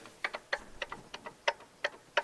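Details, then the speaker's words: Land Rover TD5 engine (Defender/Discovery 2), viscous fan pulley spun by hand with belt removed: sharp, uneven ticks showing the bearing behind the pulley has failed; fix is bearing replacement. "but you can see we can certainly hear that that's the bearing behind it that's gone"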